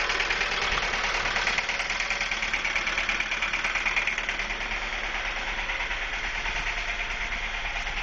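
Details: Ford Focus that had been stalling at lights with a lean code (MAF replaced with used unit, timing belt and water pump done Dec 2012), now smells rich: heavy metallic clatter about three beats a second over rough idle from the engine area; suspected serious bottom-end knock, unconfirmed.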